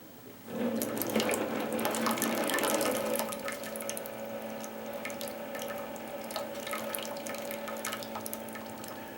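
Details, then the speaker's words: Classic Keurig K60/K65 that won't brew, descale mode (continuous pump) via secret menu; low steady pump hum under loud splashing, water can't exit the needle and comes out the overflow — clog in the head/top end. "so the what happened was it attempted to push water out of here but it couldn't so it came out of the overflow"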